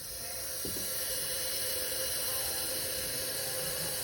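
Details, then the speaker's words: 1970 Chevy C10 383 stroker, engine not running: leak-down test on cylinder number two holds only 10 psi of 50 psi input, steady hiss of compressed air escaping, badly leaking cylinder. "your right side is the error that you're leaking that's how much it's holding so it's holding 10 psi at a 50 psi that's not good"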